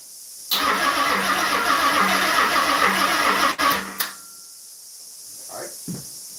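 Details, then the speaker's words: Car after a three-year build, on a weak, low battery with old fuel and an old alarm still fitted: labored, slow cranking at about four turns a second for three seconds, struggling to turn the engine over, never catches. "sound like it's really struggling to wind it over too."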